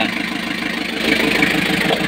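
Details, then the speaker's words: Freshly overhauled Kia KC2700 diesel breaking in at idle: uneven pulsing beat that keeps dropping out; misfire from fuel starvation, still running out of diesel despite bleeding the filter. "Nauubusan pa rin siya ng diesel no. Kahit na nag-breed na kami doun sa filter, nauubusan siya."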